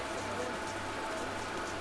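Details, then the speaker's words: Centrifugal pump at a training centre with bubbles visible in the flow: a steady gravelly crackle like rain on a roof over a low pump hum. This is cavitation. "En fait, ça, c'est le phénomène de cavitation. Les bulles, on les retrouve ici."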